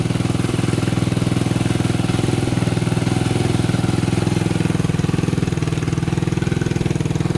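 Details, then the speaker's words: 1987 Honda 250X single finally started after new valves, new coil and roughly a thousand kicks, idle adjusted up: steady even thumping at slightly raised idle, no misses or knocks; normal healthy idle. "oh we got her oh man sounds good oh that took forever to get running good almost gave up on"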